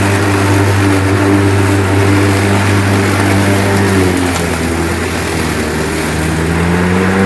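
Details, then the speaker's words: Lawnmower after tightening the blade assembly: loud drone whose pitch sags and wanders, never reaching full speed; bogging, not at full power, as if it wants to slip. Cause unconfirmed. "so as you can see in that um little clip there it's still not running a hundred percent it almost was like it wanted to slip but it's just not like you can hear it's it's not running at its full potential"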